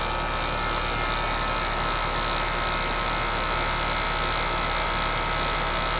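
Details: HVAC condenser outdoor unit after replacing the bad 40+3 capacitor with a 40+5 (only the 40 side used): steady fan whoosh and even compressor hum, no buzzing or cycling; normal running.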